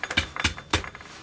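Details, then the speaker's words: Fender Squier guitar neck, abused and sanded: three sharp, dry clicks about a quarter second apart as the neck is moved, a loose rattle; owner suspects a loose truss rod that isn't doing anything. "sounds like the truss Rose loose so this that noise means the trust Road's not doing anything"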